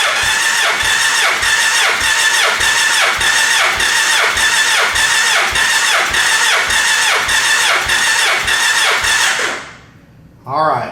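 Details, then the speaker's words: Gen 1 Suzuki Hayabusa with an ignition miss, cranking compression test on cylinder 4, reading 168 psi, slightly low. Steady starter whir with even beats, about 102 a minute; engine in decent condition. "so that one is a little low but got a 28 psi difference right now we're looking at 7 psi so that's really pretty good so that tells me that the engine is in decent operating condition"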